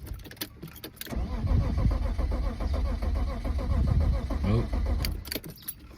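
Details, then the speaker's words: BMW M3 cranking: starter turns for about four seconds at a steady rhythmic beat, the engine seems almost to want to fire but never catches; crank, no start. "Almost. Feel like it wants to."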